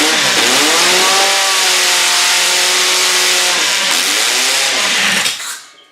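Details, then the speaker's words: Demolition-derby car engine from a garbage pile, after fixing a broken harness wire: revs high and harsh, note wavers and sags twice, dies abruptly; won't turn over afterward, oil leaking around the filter, owner fears it seized. "doesn't sound right well it may have just seized actually it did not sound right"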